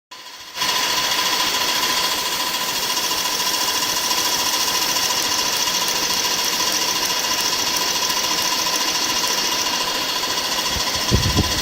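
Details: BMW E46 engine knocking: a fast, light tapping at about 3–4 per second over a steady idle; cause not yet found; the check engine light stays on.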